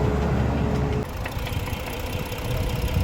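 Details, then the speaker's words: Cold engine just after repair, still knocking: deep, uneven idle with a dull knock underneath that persists at idle, plus smoke; owner suspects a loose component, piston or connecting rod, possibly cylinder 1, not oil starvation. "Mira ya se oye el ruido"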